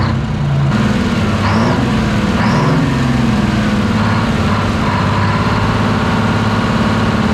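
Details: Twin-turbo Detroit Diesel 12V71 generator, revived after sitting abandoned, deep steady idle with even beat and no rattle or rub from the fan area; healthy normal idle.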